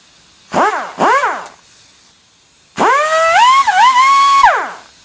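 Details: Air cut-off tool test-run during MGB GT clutch work, before cutting off a bolt: two quick blips, then a clean high whine that spins up, holds steady and winds down smoothly. The tool works normally.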